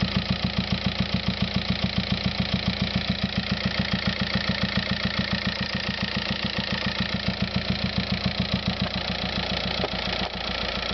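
Steady diesel idle with a sharp, very even tap about three and a half times a second riding on top; an abnormal idle noise, source unknown.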